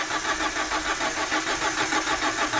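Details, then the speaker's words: Hot engine long crank: starter pulses about six per second go on without catching. Owner had overhauled engine and replaced fuel pump; cause was a clogged screen in the fuel return pressure regulator, fixed by cleaning. "一起来看一下这个故障，热车启动有延迟，"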